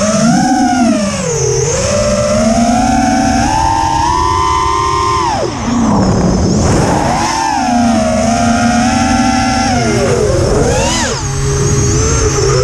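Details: Quadcopter in flight, TBS Bulletproof 25A ESCs (signal cap removed), Betaflight 3.1.0-RC5 from 2.9. Strange sound persists after changing demag and motor timing and trying DShot 300 instead of 600. Loud sliding whistle rises and falls with throttle over prop buzz; cause unclear.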